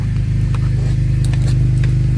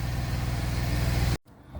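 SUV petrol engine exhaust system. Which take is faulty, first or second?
first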